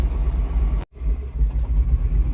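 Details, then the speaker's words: 2009 Mini Cooper R56 John Cooper Works, N14 engine, idling with no throttle after battery regeneration: low uneven idle surging and dipping on its own; diagnosed as a faulty VANOS solenoid. "can hear it running rough. I'm not revving it. That's doing it all itself."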